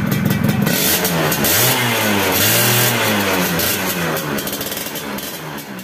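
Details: Yamaha F1ZR two-stroke after fixing the corroded, leaking cylinder head: crisp revs climb and fall cleanly with quick, strong pickup and no misfire or rattle; engine healthy.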